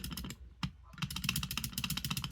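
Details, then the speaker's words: Contactor heard chattering with rapid, uneven clicking and clatter and lots of vibration instead of pulling in firmly, showing it is not engaging; winding should be checked with a meter. "so a lot of vibration uh which is telling you that the contactor is not engaging so that's one of the main problems"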